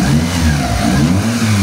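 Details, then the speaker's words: Mitsubishi Lancer "itlog", after repair of misfire, no power and reversed firing order: revs rise and fall smoothly with clean pull, no misses or knocks; engine now much quieter than before, healthy. "Ayan boss, ito maandar yung makina ni bossing. Yan. Sobrang tahimik ng makina niya ngayon compare sa dati nung Unang dala niya sa akin."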